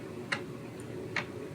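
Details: Commodore Amiga 600HD booting from floppy: two crisp, isolated clicks under a second apart over a quiet hum; ordinary floppy drive head seeking as it boots normally.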